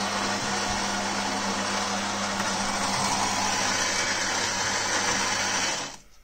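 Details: Philips HD847 coffee machine after cleaning a valve clogged with coffee oil: steady, even high-pitched grinding whirr with no strain or pitch drop for six seconds, then a clean stop; grinder working properly while brewing coffee.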